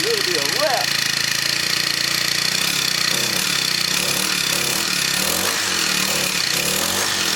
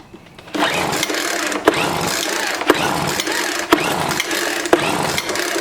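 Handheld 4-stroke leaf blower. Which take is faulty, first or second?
second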